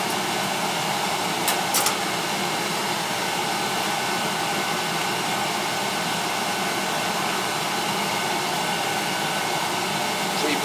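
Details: Old oil-fired boiler after leak repair with boiler seal and a refill: even, steady burner roar with no sputter, puffing or pulsing; burner firing cleanly and holding its flame.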